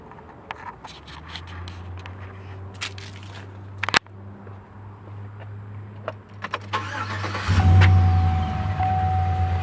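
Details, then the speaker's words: Cold start of a 2009 Chevy Silverado 1500 V8 after replacing all eight worn spark plugs that had been dancing from being under-torqued; starter cranks briefly, engine catches quickly into a smooth steady idle, plugs no longer moving: normal start. "started up easy let take a [Applause] look all right nice and steady doesn't look like any of them are moving"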